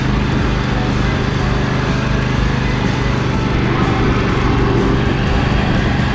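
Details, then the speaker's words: John Deere L120 mower after carburetor cleaning, ignition check and valve play check, having sat over winter: small single-cylinder engine at steady throttle, no misses or knocks; running healthier, less black smoke when the drive engages. "well it sounds like it's running a little healthier it's not shooting as much black smoke when I kind of engaged the dry as it was before"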